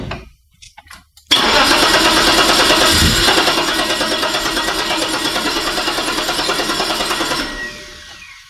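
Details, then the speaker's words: 1987 BMW 730i E32 before the sensor swap: cranks, then catches with a harsh raspy roar and a slightly uneven beat near three per second before shutting off; rough warm start, impulse sensor suspected, not confirmed. "sensor it has some issue with the worm start we are predicting that the problem is with the input sensor"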